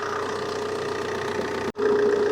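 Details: 2009 Vauxhall Insignia diesel, 147,000 miles, idling while warming up to operating temperature during a coolant flush with the heater on hot; steady, even idle with light regular clatter, no misses or surging; sounds healthy.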